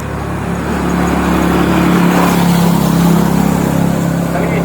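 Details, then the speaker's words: Honda Vario scooter test ride after repairing a burnt starter wiring socket that caused sputtering and no electric start: smooth hum climbing and holding steady pulling away, no misfire; response very good. "wih tumpan enak banget respons sip sip"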